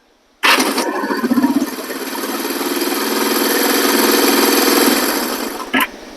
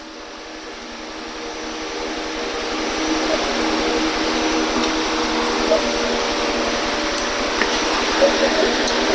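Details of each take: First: 1973 Honda CL350 after the starter clutch rebuild: a quick crank that catches within a second and settles to an even idle, with no rattling noise from the starter clutch anymore. Normal electric start. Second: 1973 Honda CL350 motorcycle being cranked: the starter whirs while a rapid, even clatter comes from the starter clutch behind the side cover on the flywheel. Starter clutch rattle.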